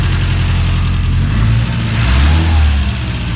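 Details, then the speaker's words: Subaru Brat engine, no longer rod knocking, freshly started before thermostat opens: deep even note swelling smoothly when revved and settling cleanly, no knocks or ticks; healthy engine and exhaust. "Let's try this again. That sounds pretty good. Not perfect, but. But listen to this thing. We never had one that sounded like that."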